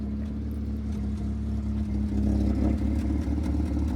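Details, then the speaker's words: 1971 Datsun 510 L-series engine with its rusted exhaust snapped off partway back, being revved. Loud, raw, deep drone that swells with revs and has no muffled tone; broken exhaust. "so I've only got half an exhaust I mean it sounds bloody ridiculous I can't drive this car like this oh my God God man alive listen to this this is an L series with half an exhaust"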